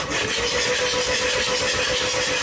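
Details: 2003 VW B5 TDI diesel stalled after driving through a deep puddle; cranking with glow plugs removed, steady starter churn with airy hissing from open glow plug holes as water is expelled: hydrolocked engine being cleared, damage possibly already done.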